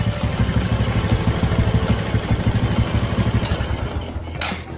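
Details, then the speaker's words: Karisma carbureted motorcycle, long parked, carburetor already replaced and new spark plug fitted: uneven stumbling idle pulsing about three times a second, unburnt-petrol smell; rough idle from rich mixture, fuel leaking past the fuel tap membrane. "The language smells terrible, so it's like petrol doesn't burn at all, friends, and listen to this for yourself, bro , so this isn't fake, especially if this motorbike has been parked for a long time, friends."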